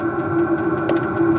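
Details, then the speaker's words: 5kW Max Speeding Rods diesel night heater newly installed in a Ford Transit Custom camper van, running on full and pulling plenty of fuel: even fan whirr with steady tone and light regular ticking, no misfire or chuffing; normal running. "I do have it on full, by the way, so that is actually blowing down here."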